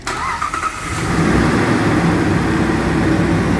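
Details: 2009 Jeep Grand Cherokee with a no-crank, no-start fault, started with the starter relay circuit activated; the fault was traced to inside the fuse box. A brief quick crank, then the engine catches cleanly and settles into a steady, even idle; starting normally.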